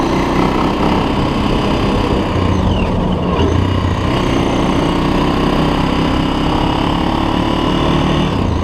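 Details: 2006 Honda TRX400EX Sportrax hybrid build, first ride after heat cycles: a loud, steady single-cylinder drone while riding, with smooth speed changes and no knocking or rattles. The engine pulls evenly and runs good.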